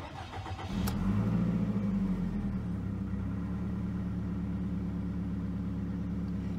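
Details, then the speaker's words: 2002 Toyota Camry, about 217,000 miles: starter catches within a second, revs briefly, settles into smooth even idle with no misses or knocks; normal start and idle. "I gotta say it doesn't seem to start and continue to run so I don't know what they were talking about"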